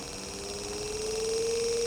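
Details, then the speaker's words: Brushed 12V DC motor (type 775) speed-controlled by a PWM module, potentiometer turned up from about 20% toward full; steady mid-pitched hum rising with speed, louder from rotor and commutator friction, vibration increasing. Normal running, nothing rough. "Suaranya juga sudah nampak agak muncul ya, kencang ya, dari gesekan yang dihasilkan oleh rotor dan komutatornya."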